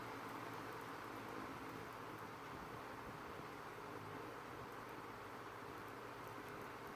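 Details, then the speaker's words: Vintage Windmere (Kuo-Horng) 16-inch oscillating desk fan NR-16/413, late 80s/early 90s, bearings oiled on purchase and in good shape, on low; soft even airy hush with no rattle, tick or bearing growl. Quiet normal running. "it's also really quiet really quiet performer i don't know the previous owners may have taken pretty good care of it because the bearings are in really good shape as well"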